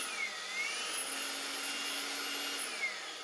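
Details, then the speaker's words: EGO 56V edger, bought new but stored over a year, head not rotating: steady high motor whine with faint clicks as miter-gear teeth in the gearbox skip and grind. "so I believe the problem is in the gearbox side here where the miter gears are I think I can hear it skip like the teeth of grounding a little bit"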